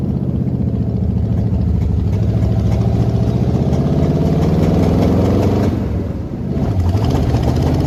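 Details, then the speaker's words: 1979 Jeep J20, original AMC engine, dual exhaust, low compression, on a quart-can fuel supply: rough, uneven idle that climbs on a throttle blip then sags, stumbling throughout, a low-compression misfire. "I really love how it sounds with the dual exhaust other than it running like crap as you can probably hear"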